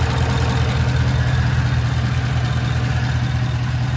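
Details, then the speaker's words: 2014–2018 Chevy Silverado 5.3 V8 after Texas Speed DOD/AFM delete kit and tune, idling at full operating temperature with smooth steady rumble, no ticks or knocks; normal idle. "It sounds good. It sounds real good."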